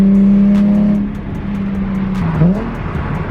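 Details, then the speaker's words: Nissan 350Z with a newly installed aftermarket exhaust, driving past; a steady, even exhaust drone that dips slightly and recovers, still fairly loud but clean, with no rasp, popping or rattle; normal exhaust note. "Don't get me wrong, it's still pretty loud, but it sounds nice."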